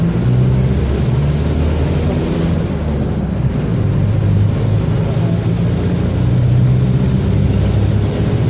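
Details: Onboard a Torino 2014 bus on a Mercedes-Benz OF-1721 BlueTec 5 chassis, recorded 2022: a deep, steady drone and low hum under driving load, with road noise masking details. Roaring rear differential.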